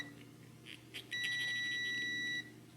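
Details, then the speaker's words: While diagnosing a Mercedes 560SL no-spark, a brand-new multimeter test lead beeps steadily just over a second for continuity with nothing touched; the lead has an internal short. "so this thing has a short and sometimes it stays on when I test for ohms resistance it's within Factory spec"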